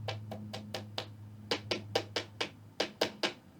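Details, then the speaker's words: 1955 Magnatone 108 Varsity Deluxe guitar amp: sharp knocks through the speaker each time a tube is tapped, over steady mains hum; tube is microphonic, tube swaps planned to find the culprit. "So it's definitely microphonic, and the speaker is picking that up pretty strongly."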